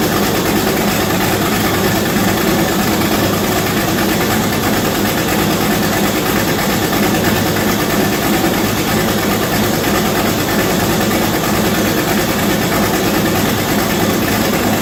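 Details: V8-swapped Chevette, first start, turbo not yet fitted and mass airflow sensor unplugged: loud, even V8 idle with a dense, steady rumble and no change in speed.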